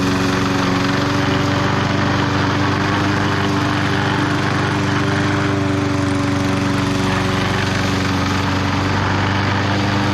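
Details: Bolens 22-inch side-discharge push mower, Briggs & Stratton 500 series engine, after fixing a no-spark no-start, cutting the thickest grass: steady, even drone holding speed without bogging or misfiring. Normal running under load.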